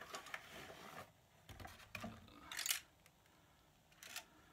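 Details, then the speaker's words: Anet A8 3D printer power supply, new out of box: short bursts of light metallic rattling when shaken; a screw came out and is loose inside the supply. "well that doesn't sound good at all there's something moving around in there here oh I can see one of the screws came out I bet there's a screw in there"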